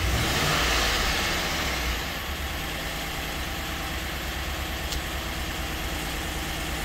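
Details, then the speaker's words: 2008 Chevy Avalanche 5.3 AFM/DOD, just restarted after the intake was removed and fuel drained: idle carries fast, light ticking over a steady rumble with a slight skip and rough running; lifter tick suspected before trying the lifter release trick. "Yeah, she's still noisy. It does have a little skip to it. Oh yeah, she sounds like junk. She is pretty rough."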